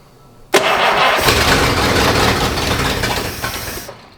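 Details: 1953 Oldsmobile being tried on its own fuel supply with no electric pump: the starter churns steadily for about three seconds but the engine never catches; it is likely not getting enough fuel.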